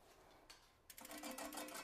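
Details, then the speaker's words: eBike hydraulic disc brake, wheel spun by hand during caliper alignment: faint quick run of scraping ticks repeating at one spot; rotor slightly bent, fixed by bending it with a rotor tool. "Oh, that sound means something's not quite aligned. If you hear, like, it means the rotor is bent at a spot. We need to find a spot and bend the rotor a little bit."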